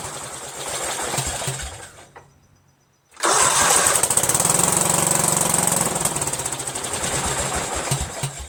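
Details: Cub Cadet lawn tractor, Kohler Command CH13 13 hp: long cranking, pause, then more rapid cranking and chuffing struggling to catch after fresh gas; fuel being drawn up; crimped fuel line and two bad carburetor gaskets (air leak) were the culprit.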